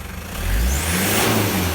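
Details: Toyota Land Cruiser Prado 1KZ-TE 3.0L diesel, about 400,000 km, 17 years old, after new genuine injectors and glow plug replacement: picks up quickly on a blip, even smooth note, no knock or miss; revving cleanly and healthy.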